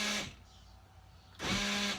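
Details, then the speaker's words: 2003 Ford Windstar SEL power sliding door lock: two short electric motor whirs with steady buzzing, actuator running but lock not engaging; owner suspects stripped or separated actuator gears. "know if you can hear that but that lock seems to be disengaged I'm guessing the actuator the gears are stripped or have come apart somehow"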